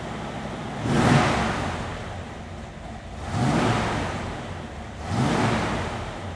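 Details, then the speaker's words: 1969 Chevrolet Camaro SS style with 454 cid big-block Chevy V8, Accel distributor: three clean throttle blips about two seconds apart, revs rise and fall smoothly, no misfire or knock; healthy. "go underneath the hood get this big block Chevy fire it up for you and let you hear what that 454 cubic inch motor sounds like"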